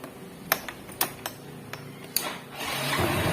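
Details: Yamaha Mio125 scooter after replacing faulty starter relay: a few sharp clicks, then starter spins and the engine fires up and keeps running, starting circuit working normally.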